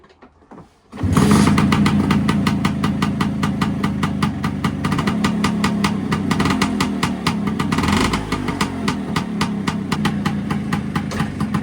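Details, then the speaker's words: Vespa PX with the Cosa clutch, warmed up, in first gear, after fitting CR80-style clutch plates to cure clutch drag. An even, crisp popping idle that holds its revs without stalling or bogging. A normal idle. "One of the last tests is going to be fire it up sitting on the bike, click it into first gear, and hopefully it'll hold the revs."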